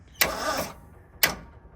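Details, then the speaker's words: Jeep bought as a parts vehicle, key turned; two sharp clicks about a second apart with no cranking, engine won't turn over beyond a click, bad ground suspected, not confirmed. "That sounds like bad ground to me. Yeah, that's what I was thinking too. Oh man, I knew I was buying a pile. All right, let's dig in a little further. Okay, so motor would not turn over more than a click."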